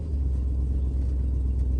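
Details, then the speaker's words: 1966 Ford Thunderbird driving on the road after new shocks and rubber insulators: deep, steady road rumble with no clunks or rattles over bumps. "okay we're on the road she sounds good we're hitting bumps we're not hearing nasty rattles that's good"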